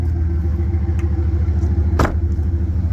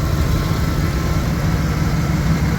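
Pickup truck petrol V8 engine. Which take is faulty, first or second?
second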